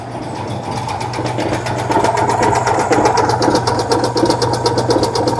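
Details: 1966 VW Type 3 Fastback air-cooled flat-four just fitted with new dual single-port 34 carbs replacing factory carbs, after idle-screw adjustments: rapid, fairly even ticking chatter over steady idle that firms up after adjustment; normal idle.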